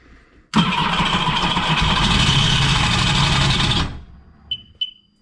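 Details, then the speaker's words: 2009 Sea-Doo GTX 215 supercharged jet ski, bought with locked-up motor, test start with borrowed pump: catches quickly, runs about three seconds rough and raspy with gritty high whirr, then stops; owner suspects supercharger. "It's not locked up. Supercharger still kind of free. Possibly a supercharger."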